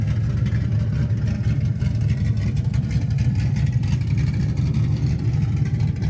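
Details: LS-swapped Camaro V8 on new 3-inch X-pipe exhaust, mufflers off; deep even low rumble with steady burbling pulse, no knocks or misses: normal idle.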